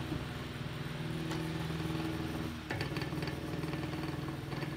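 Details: Antique Diehl table fan, about 100 years old with steel blades, oscillating on low speed: motor hum with loose fluttering rattle from worn bearings; otherwise runs well.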